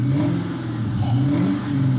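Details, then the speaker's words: Ford Mustang SVT Cobra "Terminator" V8, 12,000 miles, manual, sold at auction as having an engine noise; cold engine revved briefly: a deep, even rumble with no knocks or ticks and good oil and fuel pressure, healthy. "Oh, these sound the best, guys. These sound the best. I don't care if you're a diehard GM guy, an F-body guy, whatever. The Mustang sound, they had us beat"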